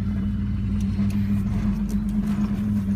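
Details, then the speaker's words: 1992 Ford Explorer with a Saginaw P-style power steering pump (from a 1984 E-150), final conversion. Idling, wheels turned with foot on the brake to load the pump: even low hum, no whine or groan, pump barely audible. Quiet after a 10-mile test drive around 2500 rpm. "this is Mo my foot on the brake you you can barely hear it at all"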